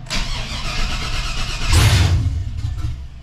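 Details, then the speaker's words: 2003 Chevy S10 ZR2 with home-built 5.7 Vortec 350 V8, open headers, after fixes: cranks briefly and catches cleanly, settling into a steady even idle with no misses or backfires; normal startup. "oh that was a lot better"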